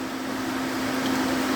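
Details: DA Integra electric cooling fan newly relayed (30A) to the factory OEM fan switch, switch heated: steady even hum with constant low tone, no rattle or wobble; fan working normally.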